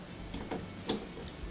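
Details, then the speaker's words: Refrigerator compressor, new start relay and capacitor fitted, still won't start: sharp occasional clicks of the relay trying to start it, no running hum or vibration, compressor very hot to touch; owner suspects seized piston, compressor likely needs replacing. "usually you can touch the compressor and you can feel it vibrating you can hear it running this one is not vibrating but this one is actually very hot to touch it that's another sign that the compressor may need to be replaced"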